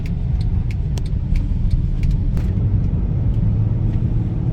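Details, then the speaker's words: Mercedes ML350 road test after maintenance, some oil seen around seals but suspension not needing replacement: steady low road rumble with light surface taps, no clunks, knocks or grinding from axles, control arms or tires; driveline and suspension sound healthy. "actually sounds pretty good yeah nothing's really standing out as far as like oh i shouldn't be hearing this noise i shouldn't be feeling this swaying or nothing actually feels really nice"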